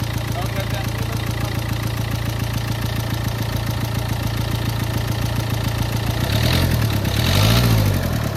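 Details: Renault Lodgy diesel that had overheated and had head gasket work done with paste sealant: the idle carries a hard, regular knock, about three to four a second and steady throughout; piston slap with valves striking the pistons.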